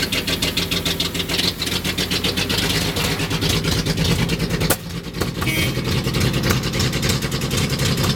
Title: 1976 Datsun 280z rough idle